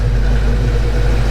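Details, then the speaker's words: Foxbody Mustang V8 after cam swap, next day after fixing a ticking traced to a loose rocker or pushrod: deep steady idle with an even beat, no ticking or misses; good oil pressure and temperature; sounds healthy. "All right, so it's the next day. I got the car back together, got it running. It sounds pretty good, sounds healthy."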